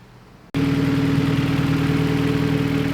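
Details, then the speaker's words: Right-hand-drive turbo Honda B-series CRX, 12.5:1 compression, Hondata S300, 1000cc injectors, converting to E85; catches and settles to steady fast idle a few hundred rpm high, timing off, no idle control; high idle. "timings off as far as it looks like it's braggin idle a few hundred rpm higher now"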